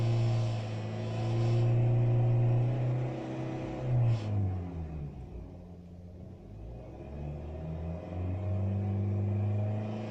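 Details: 2008 Honda Fit, manual, timing-chain petrol engine, 245,000 km: a steady, heavy drone appears at exactly 3500 rpm and goes away above it, fading as revs drop and returning as they rise; cause unknown to owner.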